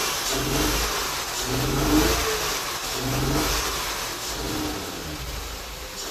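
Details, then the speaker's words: 2006 Honda Accord after diesel in the petrol tank: throttle blips rise and fall unevenly over a rough base. Only a few gallons of gas are in the tank, so diesel likely remains in the tank and filter until more gas dilutes it. "Now we only got a few gallons in the gas tank, so there's probably still some diesel in the tank and in the filter that is getting mixed in, but we'll put some more fresh gas in the tank, and that should dilute what's in the tank of diesel enough to just run completely like normal."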